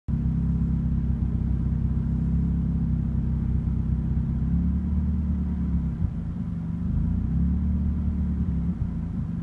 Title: Turbo Miata Megasquirt rough Idle